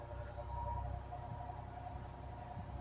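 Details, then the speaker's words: Air Wizard Pro 20-inch high-velocity fan, wall model converted to a floor stand, on medium speed: low steady hum with a thin, constant high whine from the motor; owner blames a weak, cheap motor. "ully you can hear the the motor here it's whining can you hear that it's like it's G it's going to be like that the whole time"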